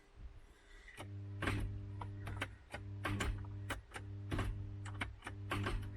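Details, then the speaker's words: MK3 Ford Cortina with a seized Kent engine, powered from a jumper pack: short bursts of low electrical hum with a click each time, the engine never turning; the starter pinion is locked onto the ring gear. "we just want to try and get the starter motor to free it as well and that's seized you can hear that trying to that's the starter motor completely locked onto the ring ring gear"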